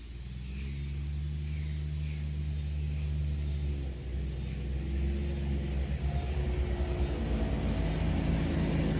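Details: 2019 John Deere Gator XUV 865R diesel after new synchronous drive belt replaced burnt factory belt (jerky in high range, ~600 miles): steady low engine rumble building evenly as it pulls away, no slipping surges or jerks; belt drive healthy.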